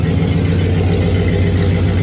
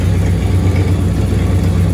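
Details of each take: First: 1965 Cadillac Coupe DeVille V8 after rebuild, timing 8° advance, no exhaust fitted, spark plugs re-gapped: steady low even idle, still shaking slightly but popping gone; normal idle. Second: 1965 Cadillac Coupe DeVille V8, freshly rebuilt, warm after 10–15 minutes of running and a short test drive: lumpy, stumbling idle with the engine visibly shaking. A misfire is suspected and spark plug gaps will be checked; there is also slight belt squeal.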